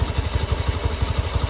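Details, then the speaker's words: Used Honda Beat eSP scooter, 38,376 km odometer, possibly dropped before: steady low idle thump with faint metallic jingle from the CVT side; rattle at idle, mechanic suspects loose plate on rear pulley, not confirmed. "suara mesin seperti ini ini ada sedikit rasa E ini ya mengganggu di bagian CPT ini bunyi seperti kemerincing ini ya"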